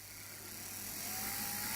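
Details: LGB small locomotive Bühler 7-pole motor and freshly reassembled gearbox on bench supply, speeding up from about 2 volts toward 5 volts: quiet high motor hum with faint gear whirr rising in pitch, smooth and even; normal running.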